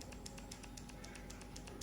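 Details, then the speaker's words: Okuma Inspira ISX C2000HA spinning reel after full disassembly and reassembly, cranked by hand: steady light high-pitched clicks, several per second, noisier than before; source unknown, owner hopes it fades with use. Reel clicking noise. "Yang lain pada dasarnya oke, lama-lama dipakai nanti juga bakalan normal sendiri, dan bunyi-bunyi ini juga bakalan hilang."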